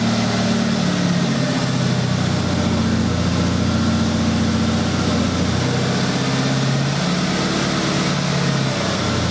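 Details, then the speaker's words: 1996 Honda Accord after completed head gasket job, first run in about a month: steady, even idle with smooth low rumble, no knocks, misses or hunting; normal idle. "So, as you can see, the car runs really good. I'm really excited."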